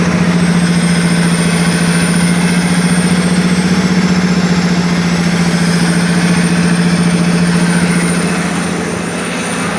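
Heavy diesel at idle with a fast, fairly even knock riding over a strong low drone; knocking noise from the engine, cause unknown.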